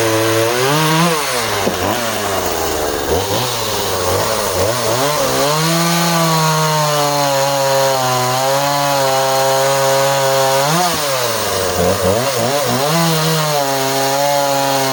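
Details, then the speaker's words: Husqvarna 136 project chainsaw cutting small softwood: high, hard-revving buzz whose pitch sags as the chain bites, then recovers; cuts cleanly, though slightly lean-sounding at the end of the cut. Owner suspects the carb needs going through. "So she certainly cuts pretty clean."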